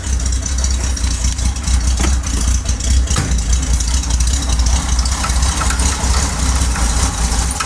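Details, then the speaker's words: Corvair idling just after a cold start (electric fuel pump, carburetors): deep, steady, even low thrum with no knocks or misses. Normal idle. "And fires right up every time."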